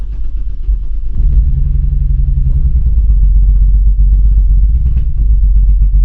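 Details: Remapped BMW 135i misfiring with high-pressure fuel fault codes, after a new high-pressure fuel pump that fixed nothing. Heavy low rumble with an uneven, lumpy beat and irregular dips; rough, erratic idle. Owner suspects the electronic fuel pump module.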